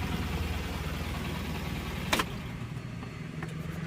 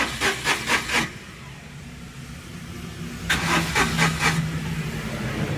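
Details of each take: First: Tata Nano Twist XT that had starting trouble and a check engine light, after ECM reprogramming: steady, even low hum with no misses or knocks and one brief click, the small petrol engine idling smoothly. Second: Tata Nano Twist XT that quit while driving, check engine light on: two bursts of steady starter cranking, about two turns a second, and the engine never catches. Diagnosed faulty ECU; a new ECU has been brought in and needs programming.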